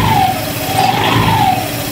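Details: Honda Click 150i scooter after repairing a no-start fault: steady, even buzzing idle with a faint wavering tone, no misses or knocks; engine now runs smoothly.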